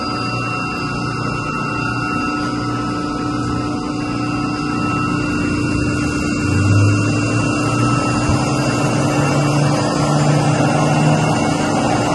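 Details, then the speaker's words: Chiller plant with two York YMC2 magnetic-bearing chillers in series sharing one 60 hp chilled water pump, after the pump coupling was replaced to cure vibration noise: steady, even hum with constant high tones, no knocking or rattling; normal chiller operation. "well definitely sounds good over here vibrato and run for a minute and then I'll fire these chillers back up well so far so good"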